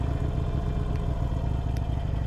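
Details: 2022 Harley-Davidson Iron 883, about 1,600 miles, just started via on switch and start button: deep, even V-twin rumble with steady beat and no knocks or rattles; healthy engine.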